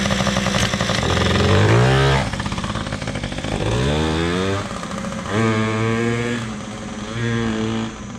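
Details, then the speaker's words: PW80 two-stroke minibike after carburetor work (OEM Mikuni carb reassembled) revs up and drops back cleanly several times, settling to an even idle; runs great, idle could be lowered a little, only the rear tire needs air. "we have to put a little air in the back tire and other than that it seems to work great i think i can lower the idle a little"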